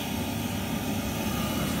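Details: Worcester Heatslave 20/25 oil boiler just after the fuel pump was bled of air at the bleed screw and reset: steady, even roar with no pulsing, surging or misfire; burner lit with a clean, stable flame.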